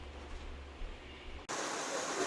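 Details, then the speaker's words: Pressure canner, new to the owner, heating pints of deboned chicken in broth, before the jiggler goes on: low microwave fan hum, then a sudden steady hiss of steam venting as it comes up to pressure, which must continue 10 minutes; normal. "But what that's doing is it's coming up to pressure, and that's the noise that you hear. This has to happen for 10 minutes before you can put on the jiggler."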